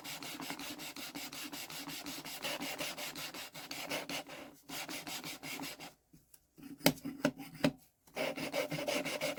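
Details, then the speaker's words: Deutz cylinder head being hand-lapped, valve ground against its seat. Steady back-and-forth rasping strokes, two or three a second, now smooth and dull as the lapping paste has worn out and stopped cutting. "I can hear that that's not really biting much anymore. So I think this might be alright."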